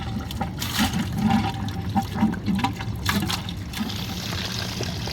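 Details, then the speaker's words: Boiler heating loop refilled after a full drain due to a failing Taco circulator pump with noisy bearings: gurgling, spitting bursts of water and air from the fourth-floor hose settling to a steady trickle; air lock purged. "so here comes all my air all the air I've been fighting started with getting that air out of up top you could see it"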